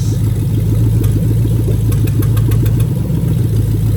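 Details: 2000-2003 Lexus LS430 3UZ-FE VVT-i V8 idling during a new engine harness test. Injectors are pulled one at a time, and an uneven, lumpy beat with a missing pulse marks the misfire of a dead cylinder.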